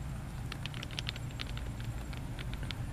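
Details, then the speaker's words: Ford Focus front end: worn factory sway bar end link shaken by hand, sharp irregular clicking and clacking from its loose ball joints with about a quarter to a third inch of play, causing rattle over bumps; replaced with Moog part. "loose it actually rattles so um when you pull up on it it's probably got it's probably got a good quarter to a third of an inch of travel and should not have that so that would account for some rattling"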